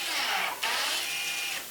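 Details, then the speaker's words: Electronic parking brake, rear caliper motor cycled via scan tool service procedure during rear brake service: high steady electric whir closing the caliper, pause, then whir releasing; normal electronic parking brake motor cycle. "and as you can hear that that was actually the on the motor closing the caliper so that way it knows it's able to close and then releasing it again"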